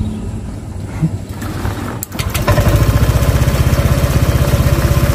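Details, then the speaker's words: Honda Vario Techno 125, cold start; fuel pressure checked good. It cranks laboriously for about two seconds before catching, then settles into a low idle. When cold it nearly dies, won't rev high and struggles uphill; when hot it is fine. "Ini katanya khusus dingin aja seperti ini. Kalau dingin dia mati-matian, hidupnya mati-matian,"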